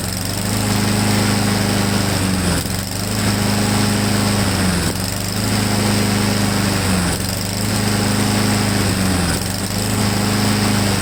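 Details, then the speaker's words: Honda-powered Husqvarna mower: hunts up and down about every two seconds in a steady surge; owner doubts the choke, suspects the carburetor emulsion tube needs removing. Cause unconfirmed. "I mean we didn't run it long enough for the choke to come off so I don't know if it's flooding out or what I'm not really sure"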